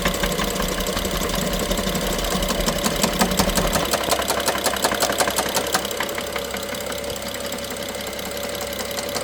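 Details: BMW F07 with N55 petrol engine running: sharp fast ticking rattle and knocking on top of engine, loudest by cylinder 1 injector and the middle electrical connector; worse with more throttle, sometimes stops for 3 seconds; timing chain inspected and looks OK.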